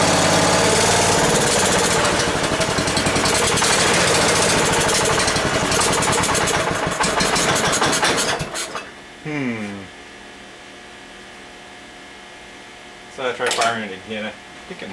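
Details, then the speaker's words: Ford garden tractor, sat long as a no-run, fuel line clipped to check flow: chugs unevenly about eight seconds then dies, with brief restart attempts; won't keep running, owner suspects the fuel supply isn't filling fast enough. "we'll see if it's just not filling up fast enough to keep it running or if we have another issue"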